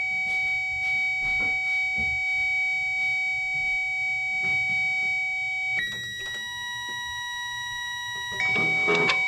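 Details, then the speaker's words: Infiniti G35, P0021 bank 2 VVT solenoid connector tested with a power probe: steady high electronic tone steps to a different pitch around six seconds as the tester switches the power side; power switching confirmed. "right so the uh so the noise change which basically um indicated that you uh it switched the power okay"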